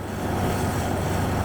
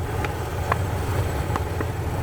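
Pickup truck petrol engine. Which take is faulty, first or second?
second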